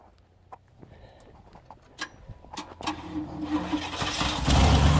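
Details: Chevy Suburban that survived being hit broadside by a semi: a few faint clicks, then the engine catches and builds to a steady, even run; after the crash it still starts and keeps running.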